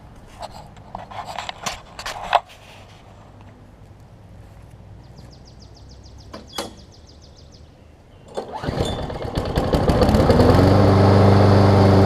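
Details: Briggs & Stratton Quantum push mower after cleaning clogged carburetor main jet and priming: handling clicks, catches around eight seconds and settles into a steady, even run, slightly smoky; running properly.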